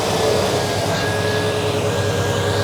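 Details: Cold engine idling, camera on the fan side away from the exhaust: fan pulls a steady heavy rush of air across the radiator; fan clutch stays engaged when cold instead of freewheeling, before clutch replacement.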